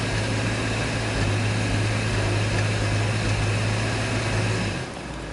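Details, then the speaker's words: 2005 Dodge Grand Caravan, 3.8 V6 pushrod, waste-spark ignition, P0300 code, under load: low steady drone with an uneven stumbling pulse underneath; misfire under load on cylinders 1, 3 and 5, number 3 worst, cause not yet found. "So number 3 is the worst. 1, 3, and 5."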